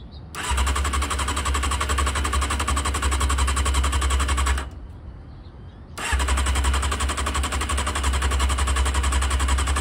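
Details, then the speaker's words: Honda CBR600F2 after carburetor removal, O-ring replacement and reinstall, carbs empty and vacuum-fed: fast steady starter chatter for several seconds, pause, resumes without catching; normal extended cranking while carbs fill. "so when we crank it the fuel is going to start to get into the carbs as soon as it finds itself into the engine gets a spark we should have ignition"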